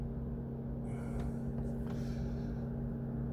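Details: Mercedes-Benz W203 C220 CDI towed in as a non-runner, P2364 stored, flat CAN bus, ECM suspected faulty: radiator fan keeps running with the ignition off, a steady low hum and whir; cause suspected, not confirmed.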